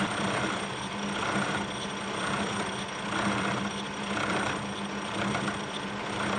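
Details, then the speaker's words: Kearney & Trecker milling machine making its first chips after restoration: cutter noise pulses about once a second over the spindle hum. The owner suspects a very small, undetectable bend in the arbor and says it will do fine. "you could hear that rhythmic sound that the cutter was making and I believe that's because there's likely a very small undetectable Bend in this Arbor and it'll do fine"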